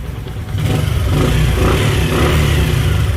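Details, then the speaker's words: Bajaj Platina after tightening very loose rockers that caused a tick-tick sound, with the timing chain found fine; the single-cylinder picks up smoothly and runs evenly under a light rev with no top-end tapping. "दोस्तों गाड़ी बिल्कुल ओके है, timing chain ठीक थी, खाली इसके रोकर जो होते हैं ना, वो रोकर ढीले पड़े हुए थे बहुत ज़्यादा।"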